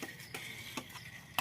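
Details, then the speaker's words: Kickless Bajaj Pulsar 150 on a morning self-start attempt: a few sharp, uneven clicks, about four in 1.5 seconds, from near the battery, with no cranking. The starter clicks but won't turn the engine, so the bike must be push-started. "Self starting problem है।"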